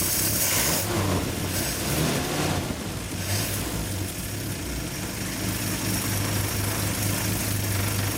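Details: Old positive-ground Nash, recorded from a tripod at the engine in rain: steady low even idle with light rain hiss behind it; runs smooth and great.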